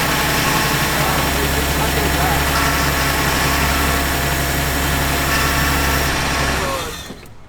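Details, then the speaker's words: Neglected Toyota after a cold start with ether spray: smooth, fast cold idle, even beat, no knocks or misfires, then fades out; normal cold idle. "good? And the motor sounds good."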